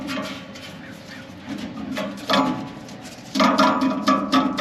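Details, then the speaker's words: Walk-in cooler condensing unit (hot box call) running: its condenser fan motor gives uneven squeaky, chirping whines; the motor has excessive play from a worn bearing and needs replacement. "Can you hear that? Excessive play in that. We need to get a condenser fan motor for this unit also."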